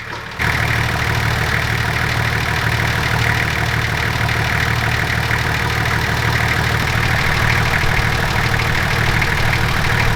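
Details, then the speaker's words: Nissan TD42 diesel (GQ Patrol, 35 years old) at steady idle after injector replacement and advancing the injection pump; light even tappet ticking over the clatter, typical of TD42s, otherwise sounds good. "I think it sounds really good now. It is still a little bit tappety, but TD42s are notoriously tappety, so we're gonna leave it at that"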